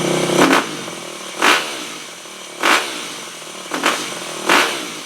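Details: 2008 Yamaha WR250F, first startup after carb rebuild with FMF Powercore slip-on, choke on: sharp throttle blips, revs hang and fall slowly and it bogs right off idle; suspected lean, fuel screw at about 1.5 turns out.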